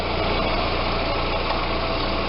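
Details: Audi A4 idling after a full power steering flush and fluid change (about 1.8 L flush plus 500 g in the reservoir): steady, even engine idle with no pump whine; the earlier whine from low fluid is gone.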